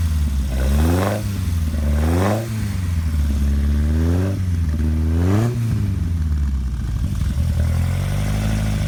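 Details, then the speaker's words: 1968 Morgan Plus 4 on a cold start: four quick throttle blips rise and fall cleanly over a slightly lumpy idle with a deep, throaty Weber carburetor intake roar; normal carburetor intake noise. "I think you could probably hear the sound of the Weber carburetor intake."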